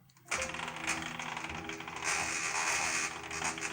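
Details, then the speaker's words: Home-built benchtop CNC milling machine facing a small steel piece: several steady stepper whines with a gritty chattering edge as the X axis moves to 7.5; the motor sounds strained, cause unclear, adjustments pending. "you can hear it fighting against that i don't know if that's gonna be a problem i really do hope not"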